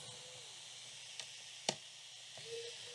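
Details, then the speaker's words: Water-damaged Dell Inspiron 5370 (P87G) with no backlight, powered from a 19 V charger drawing about 260–500 mA: steady high airy whoosh with light clicks as the fan spins at full speed, then the laptop shuts down. "you can hear the fan is spinning at full speed and it's shutting down"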